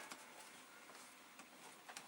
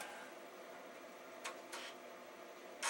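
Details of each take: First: Amiga (possibly 2500/2000 with accelerator card, original battery) floppy drive making faint sharp clicks about every half second, normal empty-drive polling; machine won't boot from hard drive, asks for Workbench; drive may need cleaning. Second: Amiga (possibly 2500/2000, original battery) failing to read a Workbench floppy: two short scratchy seeks and a louder rasping burst, error validating disk, disk unreadable; machine won't boot from hard drive; cause not confirmed.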